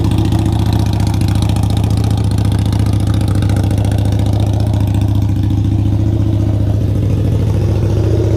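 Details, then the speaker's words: Harley V-Rod Night Rod, freshly rebuilt engine bored 1130cc to 1250cc with FM Hellraiser cams, Power Vision tune, first start after reinstallation: very loud, deep, even V-twin idle with hard lumpy exhaust pulse, no knocks or ticks, louder than old Rinehart exhaust; normal idle. "i thought it was going to be like a little bit louder than the uh the reinhardt that i pulled off no way dude this thing is like straight up drag back status it is so loud"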